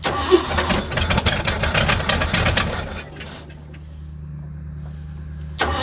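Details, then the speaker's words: 1986 Ford F250 after new starter, first start and warm-up: cranks, catches about three seconds in and settles into smooth, even low idle; sounds nice, engine running healthy. "These sound nice. I'm sure there's a lot of vacuum too. It's running."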